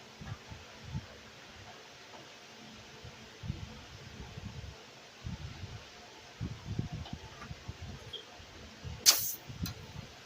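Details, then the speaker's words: 2008 Honda Accord 3.5L EX during AC compressor replacement: brief sharp hiss as refrigerant vents at the gauge coupler because its valve wasn't backed off before connecting to the service port. "See? You hear that? I was trying to show you that because this is not backed up. And that's what happen when it's not backed up."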